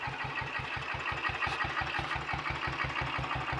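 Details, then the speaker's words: Royal Enfield Bullet 500 single, ported head, shortened aluminium barrel, 9:1 piston, ignition timing strobe-set, cold: slow loping thump about three beats a second; idle too low, may stall if throttle is given until warmed up, when it takes throttle fine. "so there we are we've got a good runner i want to say warmed up a bit it ticks over a little bit faster than that"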